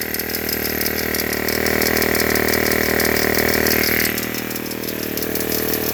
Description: Annoying clicking noise. I know there's a problem but I'm not sure what it is.